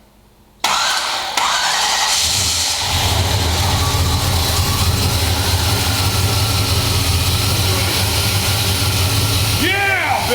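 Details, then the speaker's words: Rebuilt 1973 International Scout II, fuel-injected, first fire after rebuild: starter cranks briefly, engine catches and settles into steady even idle with no knocks; sounds healthy, finally running. "oh it sounded so good"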